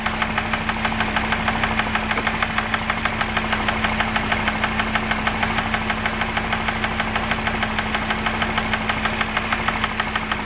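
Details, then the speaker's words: Audi RSQ3, idling, stethoscope on cam covers above hydraulic lifters: fast, even top-end ticking over steady hum, not the timing chain, localized to one area and worsening with revs; lifter tick suspected, not confirmed. "it doesn't sound timing chain I can't hear anything here no it's definitely coming from here"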